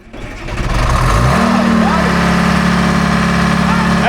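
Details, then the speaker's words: Two-stroke Detroit diesel in a Grove crane that sat 10+ years, cold start. It cranks briefly, catches within a second and climbs to a steady, even drone; a clean, healthy cold start. "Yeah. Well, listen to the old Detroit. We're see how she cold starts today."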